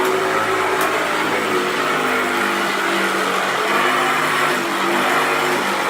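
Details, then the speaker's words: 1994 Hoover Turbopower 2 Autosense U2462 upright vacuum, tested with a belt borrowed from another machine: steady high motor roar with a coarse, gritty rumble that never smooths out; brush roll runs rough, bearings possibly, not confirmed. "I've managed to get a belt off another machine to test this one out. This is the autosense. Thunder it rough, doesn't it?"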